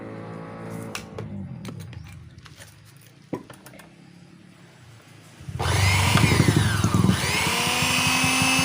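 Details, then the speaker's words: Wongdec turbo-power blender after repair of a stiff, seized blade shaft (oiled, ring and gear refitted): after a pause the motor snaps to a strong, steady high whir with no grinding or labouring; now spins normally. "ฮะโอเคหมุนได้ปกตินะครับยอดเลยนะครับ"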